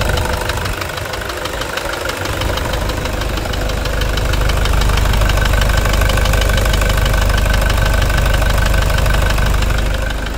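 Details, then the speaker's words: Toyota Hilux 2.5 diesel at idle, which earlier overheated until it shut off (radiator holed and replaced, oil changed): steady heavy knock about three times a second, getting louder; injector ruled out, mechanic suspects connecting-rod bushing. "Então não é bico não, deve ser biela mesmo, deve ser. Biela, deve ser bucha de biela, guerreiro, então."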